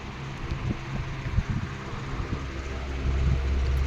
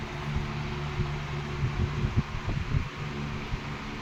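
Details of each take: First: 16-inch R&M Banner two-speed oscillating table fan on low speed, drawing 0.8 A: a low steady hum with a faint, uneven rapid gearbox chatter. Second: 16-inch R&M Banner two-speed oscillating fan on high speed, drawing 1.2 A, oscillating: a steady, even motor hum and soft airy rush. The gearbox quiets to a faint murmur under load. Normal running.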